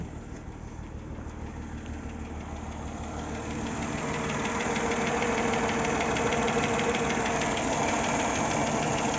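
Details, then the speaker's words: Mercedes M112 petrol V6, revving up to about 2000 rpm, heard better from under the car: steady knock about three a second over the engine note; owner suspects a hydraulic lifter, unconfirmed. "Когда газуешь и до 2000 вот так где-то начинается вот какой-то как, не знаю, что за звук даже."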